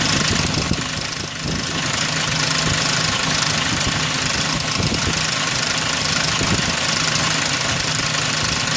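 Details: 2003 Ford Ranger 4.0 at idle: steady constant light metallic clatter; timing chain rattle.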